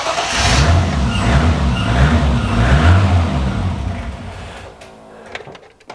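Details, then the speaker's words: BMW E30 325i with turbo M20B25, after setting ignition dwell to 1 ms in the ECU: short crank, then it catches promptly and settles into a steady low rumble with no extended cranking; quick, clean start. "okay so that's how it starts with that setting"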